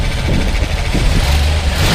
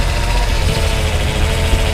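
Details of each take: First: 1966 Ford F250 Custom Cab, replaced 1967 intake manifold: deep even idle rising smoothly into a clean light rev and settling back, no knocks or misses; runs healthy. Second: 1966 Ford F250 Custom Cab, remanufactured power steering pump, wheel being turned: steady low hum with faint pitched tone over a lumpy idle; mild pump whine, typical of Ford pumps, not concerning.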